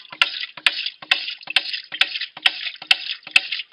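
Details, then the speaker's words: Rife Davey 2 ram pump in an insulated housing, spring-fed drive pipe: crisp, steady waste valve ticks a bit over two per second with a watery splash between them; waste valve cycling normally. "Here we have the waste valve working in action."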